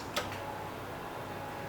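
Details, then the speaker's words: 1990 Jeep Cherokee XJ with a fuel-related no-start, on a fresh battery reading 12.6 V, key cycled to on with the listener near the fuel pump: single relay click, then a faint steady whir as the pump primes normally. "now I hear it definitely hear it probably just got to fill up the uh everything the fuel filters and everything a couple times"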